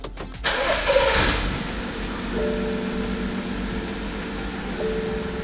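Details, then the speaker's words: BMW F15 X5 xDrive35i, N55 engine, restarted after clearing codes: starter whirs, engine settles into slightly uneven idle; misfire returns, codes show cylinder 5 misfire, plus a high-pressure fuel pump warning. "It is kind of, yeah, it came back. So let's read these codes. Basically misfires, fuel injection."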